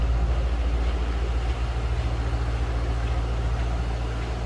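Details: 2007 Ford Mustang Shelby GT coupe, V8, 5,228 original miles: deep, even idle burble with a steady loping pulse, no knocks or ticks; sounds healthy.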